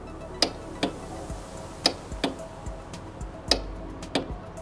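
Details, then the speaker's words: Scooter that starts normally on the kickstarter but not on the electric starter: sharp dry clicks about every three-quarters of a second with no cranking; the starter relay is clicking, trying to drive the starter, which never turns. "Ce qui se passe ici, c'est que vous cliquez sur le démarreur électrique, la batterie donne du jus au relais du démarreur. Ce bourdonnement, grincement ou clic est en fait le relais de démarreur qui essaie de démarrer le démarreur."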